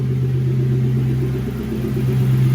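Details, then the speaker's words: Lexus SC400 V8 started after coolant reservoir replacement: steady smooth idle with even pulse, no knocks or misses, no dash warning lights; running normally. "All right, y'all, we running. No light on the dash. We good. No lights on the dash."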